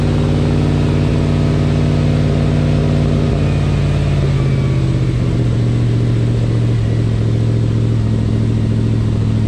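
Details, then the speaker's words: 1979 Lil Red Express truck just started after six months of winter storage, warming up: deep, steady V8 idle with even low rumble, no knocks or misses; sounds healthy. "let her warm up for a minute and maybe we'll pull it out fresh air for a minute"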